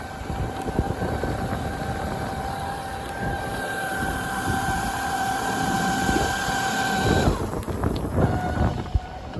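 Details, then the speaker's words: Sinclair C5 twin-motor conversion on road: steady mid-pitched motor whine over road rumble, noticeably stronger acceleration when the second motor is switched in; smooth, healthy drive motors. "You can hear that as a noticeable improvement on acceleration."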